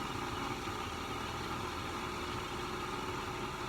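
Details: Sta-Rite Max E Glas II pool pump, which had stopped pumping, back on after a repair. A steady, even hum with a constant tone that holds level until switched off; the motor turns freely.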